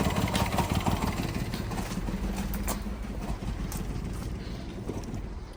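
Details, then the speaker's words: 1-litre petrol engine with P0301 code and engine management light on: uneven idle stumbling about three times a second, shaking, little power, feels about to stall; cylinder 1 misfire from a worn spark plug. "We're kind of getting no power. In other words, it feels as though it's about to turn off."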